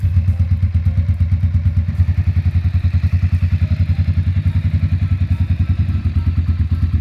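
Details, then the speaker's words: Ducati Monster M600 twin, unridden for two years: loud, lumpy, uneven thumping about two beats a second, struggling; it won't hold idle without throttle and needed constant revving: poor idle. "and the reason it was unpleasant is not because I haven't run a bike for two years and I've jumped on a jakai but because it won't actually idle"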